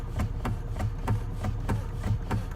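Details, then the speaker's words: Saturn Vue: sharp regular clunks about four per second as steering wheel is rocked, heard at column under dash; steering column loose at its clamp bolt, fixed by loosening 13 mm bolt and pushing part up. "this is what are we gonna be working on this part right here as you can hear it's making a weird sound"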